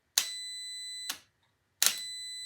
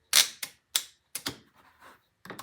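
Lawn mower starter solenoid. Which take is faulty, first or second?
second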